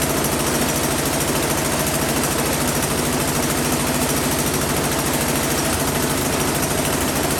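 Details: Husqvarna 10530 SBE snow thrower engine, sat about 4 years, carb still had fuel, run with choke on: small single runs rough with uneven beat, speed rising and falling (hunting/surging); owner guesses clogged carburetor idle circuit, ran better at full RPM.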